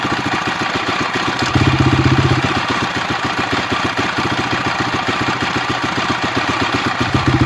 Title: honda crf250x engine strange noise.